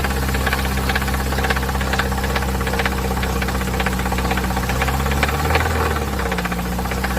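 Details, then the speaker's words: Chevrolet/GM family engine (Corsa, Celta, Astra, Vectra type) at idle: hard irregular metallic knocking about four per second; no oil pressure, oil pump pickup suspected clogged, debris found in engine; knock from oil starvation. "isso aqui é pedaço por isso que tá aquela barulheira toda entendeu Por isso que tá aquela barulheira toda aí ó tudo pedaço de entendeu"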